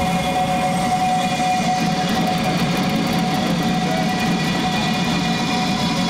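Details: Quad turbo LS-swapped Audi Quattro at LS Fest East 2018, started on a battery: steady even running, smooth low rumble and constant fan rush with both fans on; no misses or knocks.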